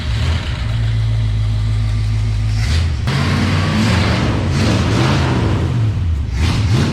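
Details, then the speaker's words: Plymouth Belvedere with stock 383 V8, battery needing a charge, started with a little ether: catches quickly and settles into a deep, steady run with a few throttle blips. It starts and runs fine. "So just with a little bit of ether, she starts up pretty good."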